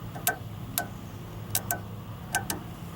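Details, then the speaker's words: Honda Odyssey sliding door closer motor, bench-tested on 12 volts while on its mechanism: six sharp uneven clicking clunks, the same as when the door fails to latch. "And I hear that, just that little clunking. That's exactly what I hear when I try to do it."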